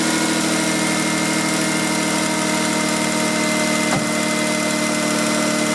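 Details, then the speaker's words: Car with 230,000 miles after fuel filter change, earlier throttle body, IAC and MAF cleaning for idle problem: smooth, even idle, steady hum, faint whine, no misses, knocks or hunting; running healthy. "This is a great car, great engine, 230,000 miles on it. Runs like a top other than the problem I told you about."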